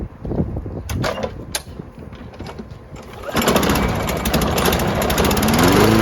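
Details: Lawn Boy 20-inch self-propelled mower after carb cleaning (the no-start was blamed on a badly oil- and dirt-soaked filter): a few pulls and coughs, then it catches and settles into a steady, even drone; running properly.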